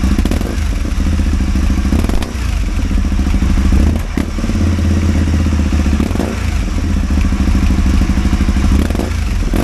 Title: Caponord 1000 misfire